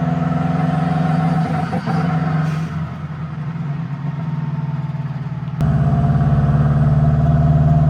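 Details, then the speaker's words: Subaru WRX-engine-swapped Beetle (about 300hp, turbo) on a test drive after new spark plugs: the engine pulls, then the note sags and stutters as boost builds before recovering. Ignition coils are suspected at this point, but the cause proves to be fuel starvation from a clogged fuel filter. "So, we can kind of see once we start getting into boost, it just starts breaking up."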